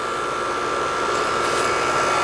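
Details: 2007 American Standard R22 AC condenser after repair of a fan that was not spinning, suction line cold and sweaty: steady whooshing airflow with an even faint hum, no rattles or stalls; condenser running normally again.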